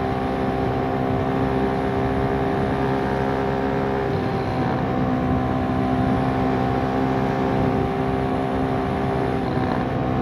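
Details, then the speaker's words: Kymco K-Pipe motorcycle after fitting a rear sprocket that is too big: loud, steady, high-revving drone while cruising, with revs too high for the speed because the gearing is too short. "As you can hear, it's screaming pretty loud."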